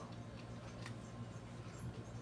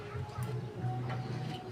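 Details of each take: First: Microwave oven after replacing the magnetron filament, running for 1 minute with a glass of water inside; low, even hum with faint ticking. The previous loud drone is gone; heating is not yet confirmed. Normal running. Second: Microwave oven plugged in, customer complaint of noise and no heating: loud low buzzing hum that surges slightly, with no sign of normal heating; magnetron filament shorted to ground.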